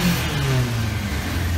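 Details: Motorcycle with formerly low compression, after a Marvel Mystery Oil treatment restored compression and new spark plugs were fitted. The engine picks up cleanly and the note falls back smoothly with no misses or knocks; a normal running engine revving.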